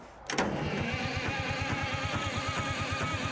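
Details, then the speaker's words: Euclid S7 scraper that had been sitting, in neutral with a manual throttle linkage: cranks about seven compression pulses a second but never fires, no fuel showing; governor possibly stuck in shutdown; crank no start, no fuel delivery. "No signs of fuel yet. Are you sure that the governor is free? Cuz if it's stuck in the shutdown position, it won't do anything."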